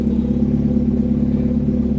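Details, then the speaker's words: Turbo Volvo with uprated valve springs and reworked cam timing, after an exhaust that "exploded" was repaired: a deep, even rumble and low throb with no rasping or puffing leak, now only a bit noisy versus really noisy before the fix. "you didn't hear it but it was really really really really noisy now it's just a bit noisy"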